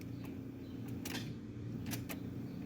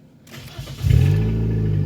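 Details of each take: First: Sharp single starter clicks at the key with no cranking; voltmeter on positive battery cable to starter shows 0.2 V and no voltage drop, so cables are fine: bad starter. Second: 2005 Nissan Sentra with intermittent no-start, first start after replacing the bad starter and reconnecting the battery: brief crank catches within half a second and settles into a steady, even idle with no clicking. Normal start.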